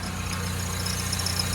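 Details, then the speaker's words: Peugeot RCZ after pulley and drive belt replacement, idling while warming up: faint, intermittent high chirp over a steady idle, thought to be the new belt bedding in, gone once warm at about 70; squeak at idle. "There is a little tiny squeak there, but That's possibly that new belt. That'll quieten down in a minute."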